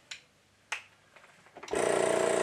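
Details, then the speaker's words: Air compressor after removing a sheared-off hose barb and retightening fittings: kicks on and runs with steady even pumping hum, no squeaks or air leaks, building pressure; normal running. "sounds like it works to me no weird squeaks everything's connected i didn't hear any air leaks and if anything it's definitely generating pressure"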